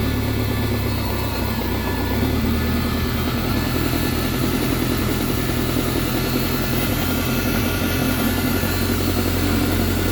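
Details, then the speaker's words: BMW K1100 motorcycle running after fuel pump, fuel screen and fuel filter replacement; no leaks, holding pressure; steady even running, new pump quiet, much quieter than the old pump, no whine or knock. "pumps quiet it's definitely much quieter than uh than the last one [Music] you can hear it but uh it's much quieter than the last pump"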